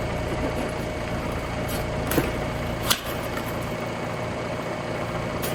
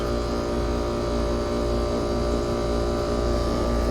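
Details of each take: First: Trane AC unit on a hot day with the house at 86°F: only the fan's whoosh runs, then a brief low electrical buzz as the compressor fails to start. The run capacitor is bad and was replaced. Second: Trane AC unit after replacing the compressor run capacitor with a 70/5 µF part; compressor kicks on and holds a steady, fairly loud hum with even tone and no clatter; running normally.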